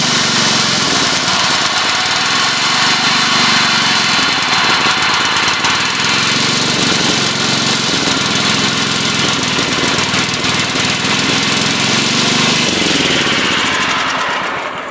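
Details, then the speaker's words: Old Sears Suburban 12 hp Craftsman tractor with a new battery, started on a squirt of carb cleaner: the single-cylinder engine runs loud and uneven, surging about four pulses a second before dying; rough running, carburetor suspected. "Alright, well, it wants to run."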